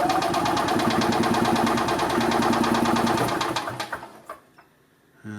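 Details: 1990 EZGO Marathon golf cart, two-stroke gas with oil injection: fast rhythmic starter chug, about three beats a second, for nearly four seconds without firing; cranks but no start, compression later found a little weak, carburetor to be pulled and cleaned.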